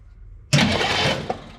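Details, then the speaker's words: 1963 Chevrolet Impala SS after sitting 35+ years, cranked via a remote start button at the solenoid with oil squirting from the cylinders: starter spins the engine over evenly and smoothly, no firing. Cranks but does not start. "there it goes cranks over all the oil is squirting out of the cylinders I'm going crank it for a second there we go spins over smooth"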